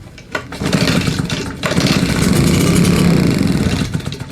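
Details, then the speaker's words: Old, battered RedMax two-stroke leaf blower, fuel lines replaced and carb cleaned, first pull after priming: a few seconds of ragged, sputtering firing, catching unevenly then fading; it pulled water into the cylinder, suspected hydrolock, plug to be pulled. "yeah it's pulling water so now let's turn the choke off another little prime"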